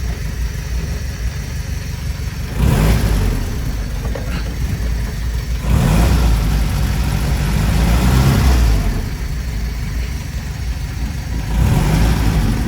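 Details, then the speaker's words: Monaquatre YN4 just after a gearbox and axle oil change (about 0.6 L gearbox, 1.5 L axle), run in gears including third at about 25; low engine note rising and falling with throttle, no whine or clunk; normal gearbox and differential operation. "Bon bah écoutez, pas de bruit, il y a tout qui tourne."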